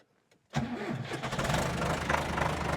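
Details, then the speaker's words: John Deere 2650 diesel tractor with cold-weather hard starting, after 2 hours on the charger from 12.4 V: short crank, fires and settles to an even idle; starts on a full battery, but owner suspects small margins from voltage drops. "Yes. So yes, it starts with a fully charged battery, but has it margins for a disloaded battery? Maybe not."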